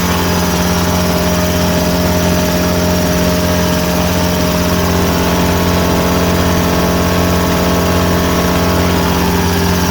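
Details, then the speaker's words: Two air compressors together filling bottles replacing original 100 L tank: steady low hum with fast even pump beat, no knocks or squeals; both running normally. "Donc là, on l'entend se remplir. J'ai la possibilité donc de mettre le deuxième compresseur pour amorcer l'installation plus vite. Voilà, là j'ai les deux compresseurs qui tournent."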